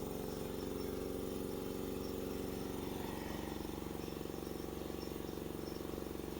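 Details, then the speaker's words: Ingersoll Rand air compressor, first run after replacing the failed motor (old one tripped the breaker): steady, rapid pump thumping about four beats per second with an even motor hum; running normally. "I mean it's an electric motor it's not like there's a bunch of wear and swear and stuff that needs to happen so it should be just A-Okay to run"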